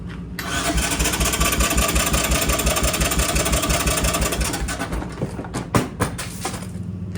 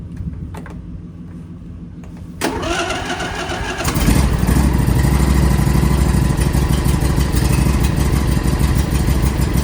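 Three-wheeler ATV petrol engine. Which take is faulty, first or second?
first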